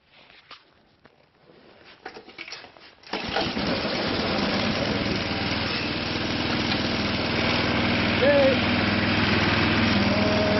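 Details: Craftsman snow blower after transmission change, choked and primed on a cold morning: a few quiet seconds of cranking, then it catches and settles into an even steady idle; running normally.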